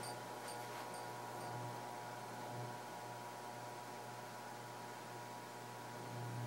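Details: Casablanca Genesis Gallery ceiling fan (spinner motor) on high speed: low, even hum and soft air rush with no ticking, rubbing or wobble; moves a lot of air, normal quiet running.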